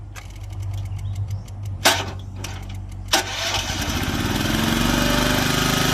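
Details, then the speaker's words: Komatsu PC01 mini excavator, Honda engine, 1116 hours: sluggish, labored cranking over two tries, then catches and runs steady. The battery is usable but doesn't hold charge well. "แบตเตอรี่ก็พอใช้ได้นะแต่ว่าเก็บไฟไม่ค่อยอยู่ละอ่ะ"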